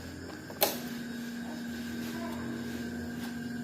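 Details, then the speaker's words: Yamaha Mio J fuel-injected scooter dead, ignition on: click then faint steady low hum at fuel pump for about three seconds while pressure gauge doesn't move; weak hum from failed fuel pump. "dan untuk di bagian full form itu ada bunyinya ya ada bunyi dengung di bagian full form cuman bunyinya itu cuman sedikit ya teman-teman"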